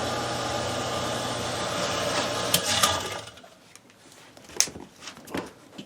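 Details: Camp outdoor water pump in boat house drawing from lake line with cistern line throttled to keep prime; even buzzing motor whir steady about three seconds then cutting out; normal pump running once primed.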